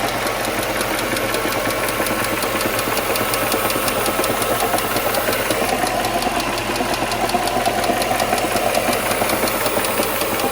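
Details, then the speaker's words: Neglected Mercedes W140 with the M119 V8 at idle: fast, busy lifter ticking on top and a dull big-end bearing knock clearly heard deep inside the engine, caused by worn rod bearings. "not only does it have a lifter tick but I don't know if you can hear it but there's uh big and bearing knock as well you can very clearly hear that deep inside the engine"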